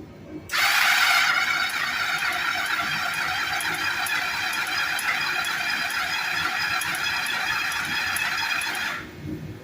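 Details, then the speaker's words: Kawasaki Bayou KLF300 4x4 whose pull cord stops as if locking up: a rough, high whirring while cranking for about eight seconds with no catch. The owner suspects the timing chain. "I think it's got something to do with the timing chain because it don't sound right when it's turning over"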